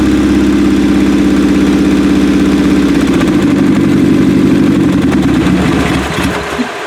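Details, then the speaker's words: 1995 Acura Integra LS, turbo B18 semi-built motor with forged internals, aftermarket cams, eBay turbo, new head gasket: first start-up loud lumpy idle with limping uneven beat fading as it nearly dies; suspected misfire. "Sound like some of them weren't exactly doing their job. I don't know if you should try to clear it out a second."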